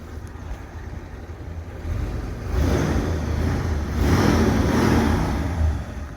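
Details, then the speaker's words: 1977 Ford Country Squire station wagon with new dual exhaust, driving: soft, low, even engine hum swelling as it pulls away, no rattles or blowing; exhaust quiet and smooth, normal. "You can't hear it running. No, it sounds great. You can't hear it at all when you're driving it. It's smooth."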